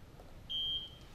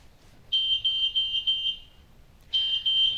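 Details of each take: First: you will hear one audible chirp and you will see a visual indicator the light next to that icon is illuminated to let you know the bed exit has been set Second: Hill-Rom CARE-ASSIST med-surg bed: shrill, steady electronic tone pulsing in long bursts. The three-mode bed exit alarm, which sounds when a patient tries to leave the bed unassisted.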